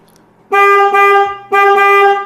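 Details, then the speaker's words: Denali Soundbomb Mini horn on a 2023 Kawasaki KLR650, relocated higher up because the stock location had no room, tested before the cover went back on: two loud, clean one-second blasts with steady pitch and no rattle. The relocation solved it. "finally it works all right so we found a solution"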